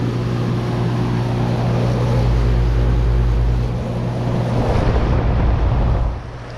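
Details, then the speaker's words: 2012 Bryant Legacy outdoor air conditioner running at 82°F, not yet cleaned: steady low hum with uneven rough roll about three beats a second; owner notices a weird sound, cause unknown; abnormal noise. "But I think I've been rambling a little bit, but I just noticed it sounded weird."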